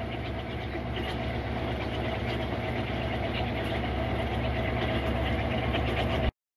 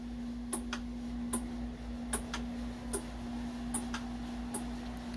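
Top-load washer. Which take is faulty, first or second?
second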